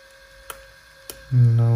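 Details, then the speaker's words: Aiwa HS-J505 walkman with amorphous HX head, tape in, headphones on: two faint clicks then steady motor drone with no playback sound at all; motor runs with no audio output. "radio right here volume is on maximum and there is absolutely no sound absolutely no sound"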